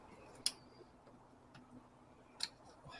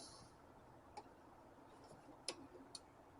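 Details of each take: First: 2000 Isuzu Trooper/Bighorn/Jackaroo 4JX1 diesel, injector click test through the scan tool diagnostics: two light, sharp, thin clicks from injector four, compared with normal clicks from injectors 1–3. Weak click, and injector four is suspected but not confirmed. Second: 2000 Isuzu Trooper 4JX1 diesel, injector control test via scan tool, ignition on: crisp even ticks about once a second from injector one, switching cleanly and working normally.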